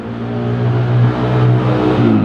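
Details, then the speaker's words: Honda Grand motorcycle found completely out of oil, smoking badly: engine revs with a coarse, rattly drone that never smooths out; oil starvation damage, connecting rod confirmed affected, piston, rings and liner suspected. "Terus analisa saya, kalau dilihat dari suaranya tadi, itu hampir semua bagian terdampak dari habisnya oli. Stang piston itu sudah dipastikan kena."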